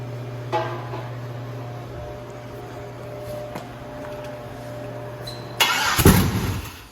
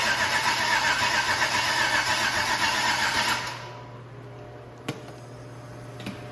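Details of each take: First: 150k-mile 6.0 LS V8, first start after finding a missing wire up top: catches and settles into a steady even idle hum with no misses, knocks or stumbling; normal idle. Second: 6.0 LS V8 with supposedly 150,000 miles, first start attempt since purchase on a makeshift fuel setup: even starter churn about four turns a second that never catches, then goes quiet. Crank, no start.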